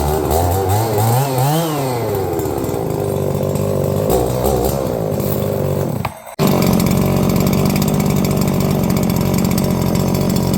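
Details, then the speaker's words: New Holzfforma G366 Pro chainsaw (MS361 clone), first run: revs rise and fall sharply then hold a steady roar with a slightly burbly note; factory carb setting a little rich at high speed. "You know, definitely running a little rich on the high end, but that's to be expected from the factory."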